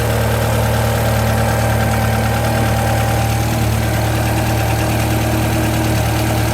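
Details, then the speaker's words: Japanese-import Alfa Romeo 145 Cloverleaf, nearly 25 years old, warming up as thermostat opens: smooth even idle, steady low hum, no ticking, knocking or surging; engine and cooling system judged okay. "So now we know the engine's all okay and the cooling system's all okay."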